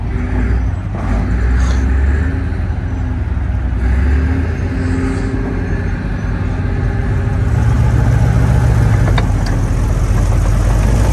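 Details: 1943 M4A1 Sherman tank nine-cylinder radial running just after start, out of gear, oil pressure coming up: deep, even drone with a slight swell in power, no knocks or misfires; normal running.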